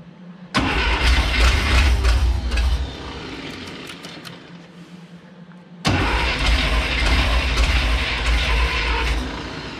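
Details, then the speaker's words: 1977 International Scout II rebuilt engine first proper run with no exhaust, after adding a little gas to the carb; catches right away into a loud even rumble, dies, restarts cleanly; runs healthy. "there you go this thing's finally running again sounds great i knew that motor was going to be healthy and i'm glad that we could finally hear it"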